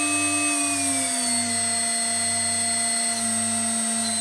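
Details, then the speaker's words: HSD 400 Hz CNC router spindle on an Ecogoo 9100 VFD, stepped down from 24,000 to 18,000 rpm; high steady whine drops in pitch and settles evenly with no rattle or grind, normal running at reduced speed. "Right down there to 18,000 RPM."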